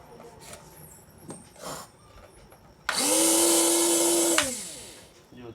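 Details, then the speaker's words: Small mixer grinder fully reassembled after oiling the water-rusted, jammed bushing and bypassing the faulty push button: short burst of steady high motor whine, then a clean spin-down with no grinding. Repaired, runs healthy. "તો થઈ ગયું આપણું complete ચાલુ. તો આપણે repair કરી દીધું છે મિત્રો."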